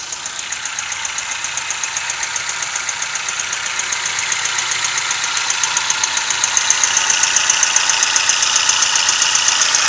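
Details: Toyota 1NZ-FE engine: sharp even ticking about 2.5 per second over idle, quickening slightly with revs; knock, timing chain or VVT-i sprocket suggested but unconfirmed.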